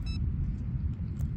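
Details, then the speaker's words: A DIY RC Mini Mono boat on 3S with a 3-blade prop cut out mid-pond and restarted. There is a short high ESC beep then low rumble; the owner suspected overheating or a power cut, but the LiPo (35) and ESC (about 30) were cool. "so the boat just stopped working in the middle of the pond and uh after a few seconds it worked again but you can hear the beeping tone"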